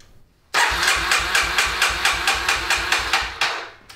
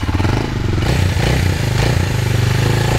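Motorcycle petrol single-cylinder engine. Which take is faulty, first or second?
first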